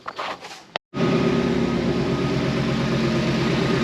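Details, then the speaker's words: 2020 Mustang GT V8 after ported intake manifold install, idling with two spark plug coils left unconnected; uneven, lumpy stumbling idle instead of smooth burble; misfire, fixed by reconnecting. "So, James here and I, we didn't connect two of the spark plugs. So, that's why it didn't sound all the way that it should have."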